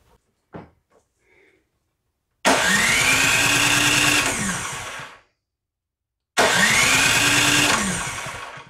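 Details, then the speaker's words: Troy-Bilt Storm 5024 snowblower, Powermore 208cc engine, after replacing the JC170 electric starter motor; key removed so it won't start: two clean cranking bursts of a few seconds, steady even churn, no grinding or slipping; new starter turns engine over fine. "I'm just going to take the key out so it doesn't start just want to see it turns over"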